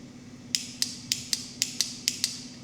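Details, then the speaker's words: Hayabusa engine swapped into a Nissan K11 Micra, first start-up wiring test: with the clutch pressed, the start button pressed and the wires touched together, eight sharp clicks about a third of a second apart come from the start solenoid. The engine is not running, and the start circuit works. "If I'm correct, when I press this button and touch them wires together, that start solenoid over there should click."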